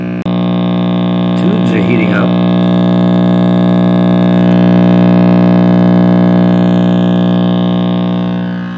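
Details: RCA Victor X551 vintage tube radio after full recap and cord rewiring: loud steady buzzy mains hum, unchanging; owner suspects the last-installed filter capacitor, unverified, letting ripple through, or the cord rewiring, not confirmed.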